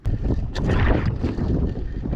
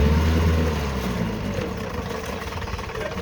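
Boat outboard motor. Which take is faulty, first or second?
first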